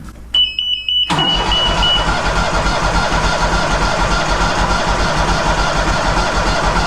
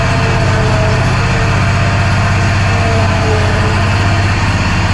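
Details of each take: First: Walker Superbee 52-inch rear-discharge mower, parked since April, battery recharged: short beep then starter churns about three turns a second for six seconds but never fires; crank no start, not getting fuel. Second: Walker Superbee 52 in mower after fixing fuel and ignition issues (air blown in, new spark plug, plug wire seated): steady even low thrum with no misses, surges or knocks; engine running normally.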